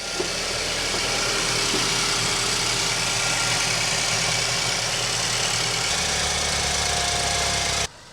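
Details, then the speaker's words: Volvo V70 T5 first start after turbocharger replacement, oil pressure confirmed: steady, even idle with a smooth hum and no knocks, rattles or whine; no exhaust leaks heard, no fault codes. "first time sounds good doesn't sound like we got any leaks either there exhaust leaks"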